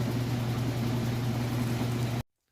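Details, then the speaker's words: Roper washer finishing its spin on a heavy load of towels and jeans during a pre-sale test: steady low drum hum, even, no thumping or knocking, then stops; balanced normal spin, clothes came out light with no excess water. "So we'll let it finish out. Sounds good."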